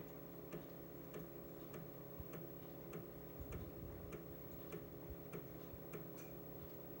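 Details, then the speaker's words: Amiga A1000 external floppy drive during boot to Workbench 1.3: quiet, even ticks about a hundred a minute over a soft motor hum. The drive is healthy, stepping and reading normally. "So see the external floppy drive is reading."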